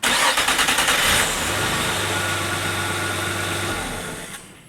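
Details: 1997 Nissan Maxima, hot engine: about a second of rapid starter churning before it catches and settles to idle; long hot crank, possibly from fuel pressure bleeding down to 0 or a bad fuel pump check valve.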